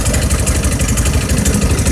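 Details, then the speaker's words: 150cc 157QMJ engine, rebuilt after bad crankshaft bearings were replaced: quick, even idle pulses with a steady low thrum and no knocking or rattle, so it idles healthy. "cool it's not knocking it's not taking me over"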